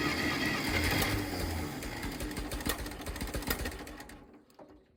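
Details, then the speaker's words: 1960s Massey Ferguson 204 forklift tractor, Continental gas engine, just fitted with a new 12V coil: uneven clattering run with sharp pops, backfiring through the carburetor, before it dies away; the backfire was later traced to two stuck valves. "still getting some back fire that coil didn't fix the problem so we're going to go with new distributor cap en rotor"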